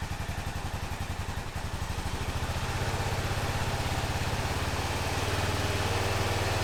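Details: 2005 Honda TRX650 Rincon quad, 650cc single-cylinder four-stroke, test-run after the carburetor float valve was repaired: even, steady thumping, firing cleanly with no misses and building slightly in speed. Normal idle.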